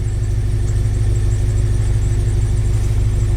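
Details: Scion FRS (BRZ/86 boxer) rough idle with codes P0302 and P219A: steady low thump with a repeating stumble about every half second, a cylinder 2 misfire from a failed ignition coil, fixed by replacing coil packs.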